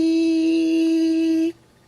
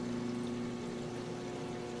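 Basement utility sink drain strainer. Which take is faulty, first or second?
first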